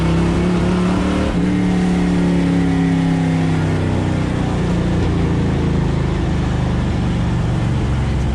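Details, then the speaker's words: Supercharging-project NASCAR (Tide car) V8 with Pro Billet MSD distributor and old MSD 6T boxes/Blaster HV coils, test drive with no hood: uneven, stumbling, breaking-up note under load, misfiring and backfiring. "Something ain't right. So took it out for that test drive. It was misfiring, breaking up, backfiring."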